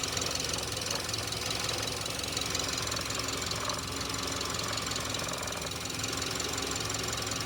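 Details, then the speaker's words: Subaru engine right after rebuild, running steadily with an uneven metallic rattling knock, roughly three a second; something loose inside, source undetermined: engine knock after repair. "Собрал мотор. Ну, видимо, хреново как-то. Что-то бренчит. Че бренчит-то?"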